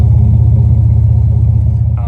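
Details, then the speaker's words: Chevy Blazer after new muffler install; deep, steady exhaust burble at idle with even pulses, no ticking or puffing from flanges, sounding healthy and sealed. "we'll get one more shot of the exhaust here at idle."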